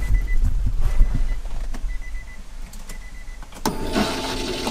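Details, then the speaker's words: Twin-turbo Nissan G35 with Walbro 485 fuel pump and newly installed fuel pump relay, key on: short bursts of thin, steady high whine about half a second each, repeating; normal fuel pump priming. "i'm gonna go ahead and just prime it a couple more times oh the oh my god oh no i scared the crap on me listen i'm gonna go ahead and prime you guys gonna hear it"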